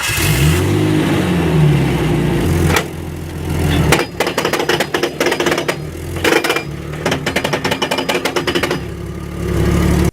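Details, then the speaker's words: Manual gearbox with worn or slightly stripped gear teeth: a continuous whining tone that climbs and falls with speed, followed by rapid ticking. "en dado caso que los dientes estén barridos o tengan un pequeño desgaste todos el sonido que se presentará será un sonido constante un sonido parecido a este"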